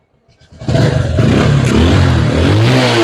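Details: Bajaj Discover 135 motorcycle being serviced for black spark plug, high fuel use and sound problem, carburetor sound checked: engine catches and runs steadily, revving up and back cleanly with an even single-cylinder beat, no knocks or rattles; running healthy.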